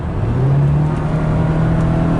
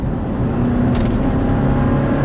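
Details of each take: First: 2006 Subaru Baja with 4EAT automatic after replacing valve body solenoids to fix a downshift clunk, floored while cruising at 50: engine drone climbs steadily, smooth kickdown with no clunk. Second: 2006 Subaru Baja 4EAT automatic transmission cruising about 40–45 then accelerating: dull clunk, then engine pitch wavers as it hunts between gears, worse at highway speed; fix is replacing valve body solenoids.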